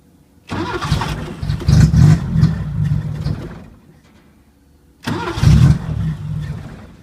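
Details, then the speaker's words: 1980 Chevy Luv, carbureted engine barely run in years, no muffler (straight pipe with chrome tip): catches and runs lumpy for a few seconds, then dies; restart does the same, won't hold idle. Owner finds carburetor trashed and dirty; cause suspected, not confirmed. "ah this carburetor is just trashed up let's see what i've got for carburetors"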